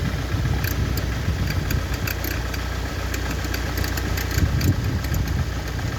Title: Ford Focus 2003 1.8 tdci FFDA weird noise